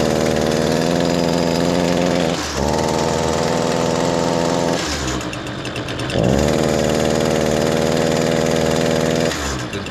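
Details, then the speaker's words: Echo SRM225 two-stroke trimmer after a choked cold start: starts fine and smokes heavily, but on throttle it bogs at a flat, strained pitch instead of screaming; clogged spark arrester. "wow a lot of smoke coming out of that exhaust and that's all he's getting it starts up fine"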